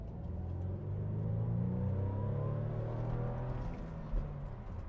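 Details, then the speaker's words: BMW Z4 after fixing a misfire under hard acceleration traced to a spark plug, road test: smooth pull through second gear, no stumbles or pops, no fault codes; normal acceleration. "6,000 RPM. No misfire there. Yeah. Third gear, red line. Well, not red line, but 4,000 RPM. Beautiful. I think we fixed it."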